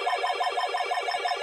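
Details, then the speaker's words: Micromark burglar alarm on a summerhouse, control panel cover opened to trigger tamper, no backup battery fitted: fast steady warbling tone around 700 Hz, pulsing about six times a second; tamper alarm sounding. "i'll show you the back control panel forward so it could go into tamper"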